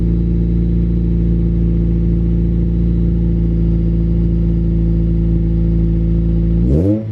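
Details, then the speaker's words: Honda Civic EP3 Type R, cold start: deep, steady, even exhaust drone at cold idle with no knocks or misses, then a quick blip; engine sounds healthy. "yeah guys how good does that sound legit"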